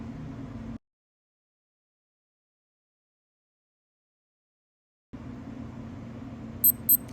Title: How to stop it beeping every hour Casio LW-204